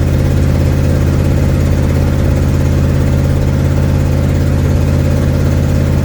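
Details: 1972 Ford Mustang driving home, phone mounted in the dash, leak not yet fixed: deep steady drone with a regular puffing beat, about three a second, chuffing through the note. Exhaust leak.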